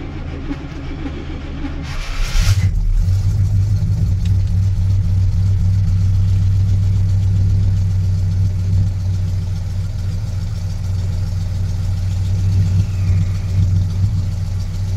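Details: 1986 Chevy K10 truck, carburetor and choke recently tuned, sat about 1.5–2 months in a tarp garage, cold start at about -6°F with key on and pedal pumped once: cranks briefly, catches at once, deep steady even rumble without stumbling; normal cold start and idle.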